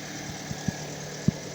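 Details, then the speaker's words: Fiat Strada 1.4 Fire idling after a half-turn cold start, holding about 3.5 bar fuel pressure, so fuel pressure is not suspected; the fault is slow restarting after standing a while. Steady even hum, a couple of faint clicks, no misses. Normal idle. "Queda parejita. Sí, mantiene perfectamente la presión de combustible."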